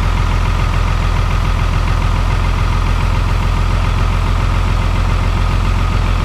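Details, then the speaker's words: VP44 Cummins diesel cold start at -25 in B.C., Canada: deep, steady diesel clatter at a raised, slightly lumpy idle, running on three cylinders in cold warm-up high-idle mode; EGTs around 600. Cold-start high idle. "That's that three-cylinder high idle."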